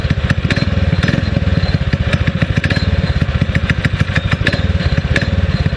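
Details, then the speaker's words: 6.5 hp Predator clone single-cylinder on a springer bike, after carb rejet and reassembly, first start: quick, even popping idle with a light sputter, picking up cleanly. Sounds like missing but owner thinks it's just the exhaust note; well tuned. "I like the way it responds it does sound like it's missing but I think it's just the exhaust note"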